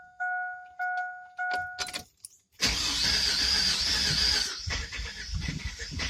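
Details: 1999 Chevy Silverado 1500 4.3, which the day before idled high, misfired, stalled at stops and set P0300, P0507, P1351: door chime, then about two seconds of uneven cold cranking that never catches; cranks, no start.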